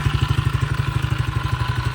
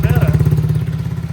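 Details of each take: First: Tao Tao 110 ATV, water and mud found in it, battery dead, leaking fuel: loud, fast, even clacking on every firing pulse over a lumpy idle, something knocking hard inside the engine; cause not confirmed. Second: Tao Tao 110 ATV single-cylinder after rebuild work: steady even idle, no clapping or knock; engine good now, normal idle.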